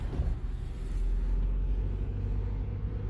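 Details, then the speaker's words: Cabin recording on a road test after the front-end parts and a noisy wheel bearing were replaced: a steady low road rumble with no clunks, knocks or bearing hum. The previous front clunks and bearing noise are gone. "very quiet he said there was a bunch of clunks in the front and the wheel bearing was making noise I don't hear that anymore replaced all those parts"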